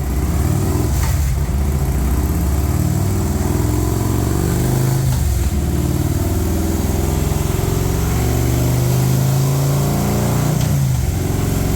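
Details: Harley M8 107ci V-twin after S&S oil pump install for sumping issue: deep, loud lope with steady low rumble and a few rev blips; runs even and healthy.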